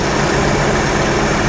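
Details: 1982 Jeep Scrambler after swap to Motorcraft 2150 carburetor, timing about 2–3° from top dead center; good response. Steady even idle, smooth low rumble, no misses or knocks; healthy.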